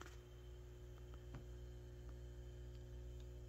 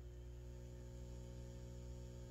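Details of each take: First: Peavey VB-2 all-tube bass amp with recently replaced valves, idling at master volume zero: only a faint, low, steady hum under room noise with no buzz building. The amp is very quiet at zero, and power-supply filter capacitors are being replaced for hum/buzz. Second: Peavey VB-2 all-tube bass amp with valves recently replaced. A steady buzzy hum comes through with the master volume at 5 and disappears at 0 and 10. It is explained as high-impedance coupling pickup at mid-travel and called normal; filter capacitor replacement was also done.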